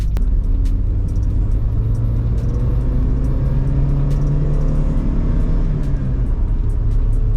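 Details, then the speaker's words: Mk2 VW Jetta cruising on new exhaust: steady low smooth drone, no rasp or rattle from the back, mostly engine noise with a little exhaust tone. Nice and quiet; exhaust normal. "So nice and quiet. Like I said, there's a little bit of tone back there, but with this car, I don't need to be screaming down the road."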